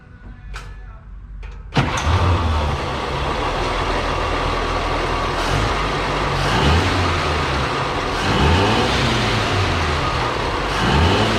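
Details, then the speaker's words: 1937 Chevy barn-find sedan after correcting swapped plug wires in the firing order (2/3 and 4/6 swapped): engine catches and runs smoothly with clean throttle blips and no misfire. "that is amazing it runs so good I cannot believe it"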